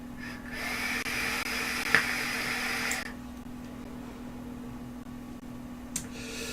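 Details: Digiflavor Themis vape atomizer on the inhale: hissing whistle near two kilohertz rising for about two and a half seconds then dropping; noisy draw, owner thinks airflow design, not confirmed.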